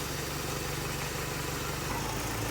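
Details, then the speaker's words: Toyota Corolla with Toyota 2E carbureted engine after fixing rough idle by setting ignition timing to spec, tuning the carburetor and correcting vacuum lines: smooth, even idle with steady low thrum, no misses or hunting; now quiet and settled. "So yun na mga kaibigan, nakuha ko na yung tono niya talaga. Yan na siya. Tahimik na siya. Payapa na yung andar."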